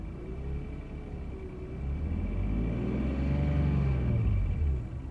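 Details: BMW E46 328i after a new lightweight flywheel: faint uneven rattle at idle and gentle revs; flywheel, clutch, pressure plate, transmission and VANOS checked without finding a cause, owner suspects a bad injector.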